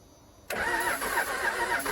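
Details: 1996 Dodge Ram 2500 12-valve Cummins diesel, sat seven years, cranked after a shot of ether; starter spins it at a steady rhythm but it never catches; fuel lines drained out; crank no start.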